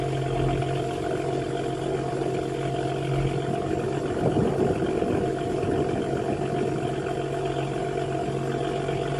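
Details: BMW E93 335i petrol turbo engine, steady high whine over the engine note swelling when revving at 2-3000 rpm; suspected failing turbocharger whine, not confirmed.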